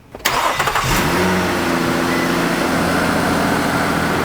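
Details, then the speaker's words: 2010 Nissan Altima, engine idling with AC on after leaking service-port valve seals were addressed; condenser fans on, compressor engaged, quiet and smooth, low-side hose ice cold — normal AC compressor running. "So, you can hear the condenser fans have come on. The compressor is currently running. It's happy. It's quiet."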